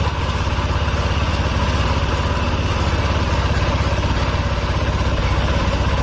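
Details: Honda Vario Techno 125 (old model), after adjusting the idle screw by hand: a steady, even low putter at a constant rate with no stumble or hunting; the engine is idling properly.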